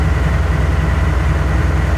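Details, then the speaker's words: Ford L8000 crane truck, likely a Cat 3208 diesel, idling after first start in four or five years: even deep chug, no misses or knocks; healthy idle while air reservoirs build. "Oh, that was easy. Okay, I guess you will start."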